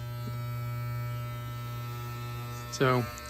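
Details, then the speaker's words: Wahl hair clipper after blade sharpening and alignment: steady, even low buzz with no catching or rattling, then a brief sharper burst as it touches something; running fine. "so I got the alignment right now let's test it on some string like the way that sounds but it's cutting cleaner"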